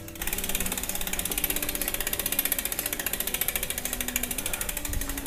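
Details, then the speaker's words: Brand new Cannondale bike with hydraulic disc brakes: fast freewheel ticking with a light swish each wheel turn as the disc rubs one pad, probably the left one, which cannot really be adjusted. "The disc is somewhere touching on one of the pads. I think it's the left one. And you are not really able to adjust that."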